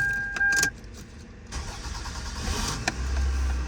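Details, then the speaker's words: 2000 Toyota Camry 2.2 L after starter replacement: brief warning chime, then quick crank and clean catch into steady idle; old starter gear kept spinning and starts were intermittent, now normal. "pretty good let's try it again"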